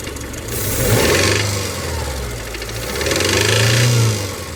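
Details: Subaru EJ253 engine, mostly idling with a couple of light revs: dull knock under the engine note from mid-block, possible rod knock; cause not confirmed.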